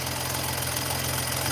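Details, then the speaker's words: BMW with aging turbos on a cold start at idle: fast metallic chatter like a flopping chain over the engine hum from the worn, loose wastegate rod; fix is tightening the two nuts on the rod to firm it up; turbo wastegate rattle. "And as that wears out, the rod starts to rattle on startup on these. And it sounds terrible, but there's a trick where you can tighten those two little bolts on that rod to make it go from loose to firm again."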